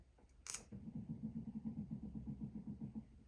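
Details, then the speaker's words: Vauxhall Astra Excite salvage rebuild, battery charged overnight and reconnected: sharp click at key-on then soft low buzzing pulse about four times a second as the modules power up normally. "If I be quiet, you might hear the modules kick in."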